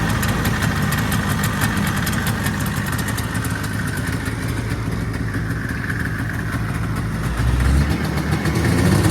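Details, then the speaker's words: 1979 Yamaha SRX snowmobile two-stroke just started after fuel and cooling system work and fuel pump issues, first run with cooling system hooked up: crackly, fairly steady idle with a brief throttle blip near the end; normal idle. "sounds too bad to me I'm pretty healthy"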